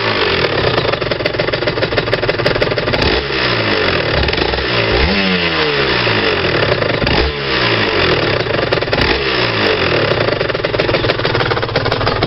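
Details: RS 125 two-stroke revving up and down: busy metallic clinking rattle over exhaust note; no rattle driving at 30 km/h in 4th-5th gear, source not pinned down.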